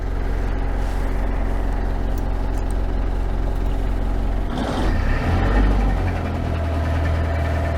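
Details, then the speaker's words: Perkins 4.108 marine diesel, started on a new lead-acid starter battery: steady idle, then a brief rough grinding burst and a puff of smoke when shifted into gear. Transmission grinds on engagement, cause unconfirmed. "had a little puff of smoke when I kicked it into gear know if you could hear it but the transmission grinded a little bit and uh yeah I have to look into that"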